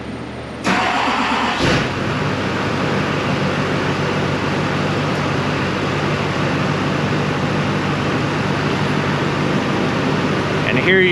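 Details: Diesel engine with a Ditex/Autoditex i-Tester CarScope connected reading fuel rail pressure: catches after a short crank and settles into a steady, even idle with no misses or knocks, about 40 MPa rail pressure while running; healthy start and idle.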